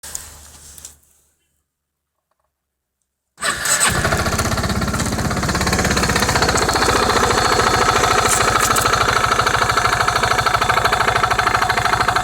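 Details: Honda MF8 scooter at idle, about 14,000 rpm: after starting, a regular tapping knock about three per second from the variator side, not always present, vanishing when throttled to 15–16,000 rpm; knock at idle.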